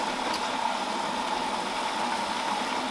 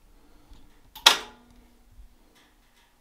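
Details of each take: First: Whirlpool Duet front-loader washer being troubleshot for F3E1 error, running with panels off and tub exposed: steady rush of warm water hissing into the tub, suspension rocking, no knocks or grinding; normal water fill. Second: Whirlpool Duet washer with an F3E1 error, run with the panels off and the motor and tub exposed: a sharp clunk, then a steady whirring hum with a rough rattly edge at cycle start before filling. Unidentified mechanical noise, cause unknown.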